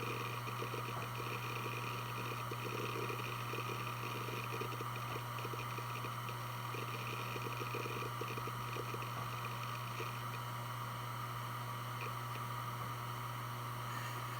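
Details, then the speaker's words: Western Digital Blue WD1600AAJS 160GB 3.5-inch 7200 rpm SATA hard drive, made 2014, only 17 hours, on a USB adapter doing file operations: steady low hum with a light patter of seek ticks. Healthy, normal operation. "I'm now going to plug it in using a modern USB adapter and perform some file operations so you can hear how it sounds."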